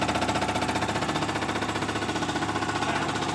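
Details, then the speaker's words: Rooster's injectors on a test stand at max power: rapid, evenly spaced ticking pulse holding steady rate and strength; this injector runs clean and level, unlike two others with a miss. "You can see here now, under max power, that thing is running, I mean, it's running really good right there."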